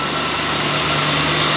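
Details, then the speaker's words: BMW E92 M3 V8 with newly fitted HSS supercharger kit, first cold start: steady idle with a thin high supercharger whine above the engine note. "that noise is back we spent all that time getting rid of the supercharger noise to add it back"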